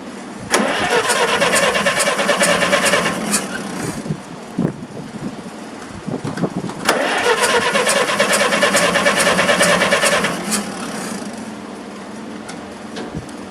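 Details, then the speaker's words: Massey Harris 44 tractor after sitting seven years, in neutral, no choke: two long bursts of cranking about three turns a second with no firing; no spark across oxidised, corroded ignition points, fixed by filing. "i see no spark on the points nope it's dead"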